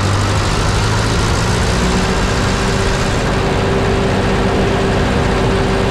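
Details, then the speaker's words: 1951 Ferguson TO-30 tractor after floats installed in new carburetor: steady even low idle, no spitting or hunting; earlier spat on hot idle, owner suspects floats filling and running rich. "idle's really nice now"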